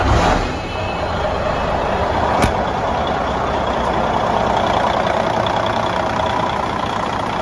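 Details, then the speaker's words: Diesel after radiator replacement with new hoses, boots and clamps, 86°F day: smooth steady run with constant low rumble and no knocks or hiccups; running normally. "man this thing is like a whole new machine with this new radiator it's 86 degrees today and it's just running right there"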